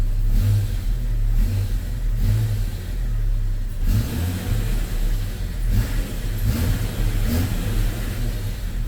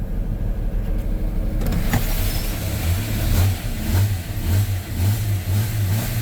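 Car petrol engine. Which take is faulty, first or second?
first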